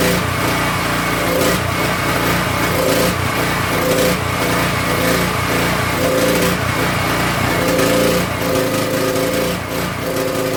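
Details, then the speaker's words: King Canada 3000 W generator, no air filter fitted, loaded with a heat gun: engine speed rises and falls in a slow cycle every couple of seconds, governor chasing; hunting, which the owner suspects comes from the missing air filter. "Hopefully, she doesn't hunt as much. She probably will, cuz we don't have an air filter."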